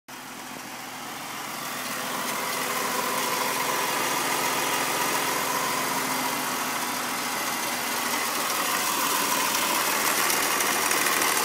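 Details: BMW Z4 M54 petrol engine, just started, idling: light quick ticking about three a second over a hissy running sound.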